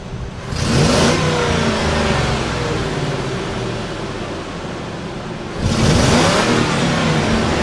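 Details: Expo 4x4 after an engine swap with everything new installed, first start: cranks briefly, catches cleanly and revs up smoothly twice with an even note between; starts and runs healthy.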